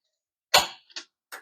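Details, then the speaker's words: Yamaha YFZ1000R project engine on the bench, turned by hand via the flywheel while checking gears: a few sharp light clicks as the gearbox dogs click before engaging; normal, the engine turns freely. "oh sometimes it'll have to click yeah I hear to click sometimes the dogs won't engage right away way because when you're in gear and you're moving um the chain and the and that whole shaft that's connected to the sprocket are moving with the bike which lets those gears click in"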